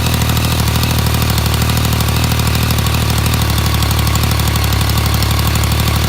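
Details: New 2016 Yamaha MT-09 (RN34J) three-cylinder at idle, with the updated cam chain tensioner: busy, even mechanical clatter over a steady idle; dealer says the noise is normal.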